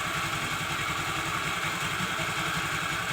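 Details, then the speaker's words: Honda Vario 110 scooter after new piston fitted: steady, even, very smooth idle with light valve chatter; earlier noise is gone; normal idle, running in gently after rebuild. "Mesinnya. Sekarang terdengar sangat halus."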